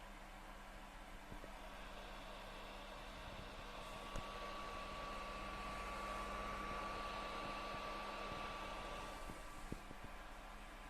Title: PS4 Loud Fan noise - The Last Of Us